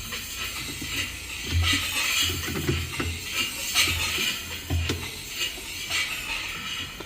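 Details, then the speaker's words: Whirlpool top-load washer on spin: irregular metallic clicks and scrapes over a low motor hum; agitator removed, foreign object found stuck underneath causing the rattle. "But the issue is when it spins, you can hear this noise."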